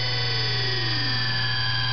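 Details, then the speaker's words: 1/2 hp 6-pole GE SCR repulsion induction motor, brushes moved back through neutral to regular position, about 1100 rpm: even hum and smooth whine climbing and settling; normal running. "there's neutral and it's running back this way again that's the middle and that's it's regular running right there"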